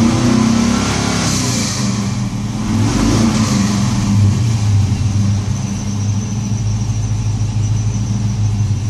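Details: LS1 V8 blipped and settling back to idle with an uneven, stumbling beat under the exhaust note; engine misfire.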